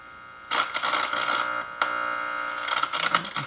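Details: 1949 Zenith AM/FM vacuum tube radio, model 7H921, being powered up slowly to about 117 V and under 300 mA: harsh crackling static over a thin tone from the speaker as the tubes start conducting.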